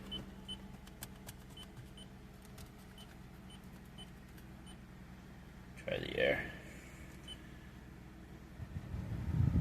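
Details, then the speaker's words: 2009 Lexus ES 350 V6, about 184,000 miles, impound-auction buy with tire, ABS, brake and engine lights on: quiet, even low idle with no misses or skips under cabin clicks and beeps; normal idle. "Yeah, see it's idling fine. I don't hear any kind of noises, miss, skips, anything like that."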